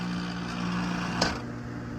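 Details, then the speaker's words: About 6-year-old (2016) AC outdoor condenser unit not cooling, fan motor's three wires disconnected so only the compressor runs; steady droning hum with strong low tones and a sharp knock midway, failed compressor confirmed. "现在我们来试一下，应该就是风机的声音，应该就是不是风机声音，应该就是压缩机的声音，压缩机坏了。"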